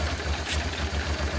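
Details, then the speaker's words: 1996 Honda Transalp (owner thinks a 96) before carburetor adjustment: low thumping idle pulses unevenly and labours, unstable on the gauge; blamed on the carburetor air-fuel mixture screws. "as you see from the gauge or even from the sound of the engine, the working idle"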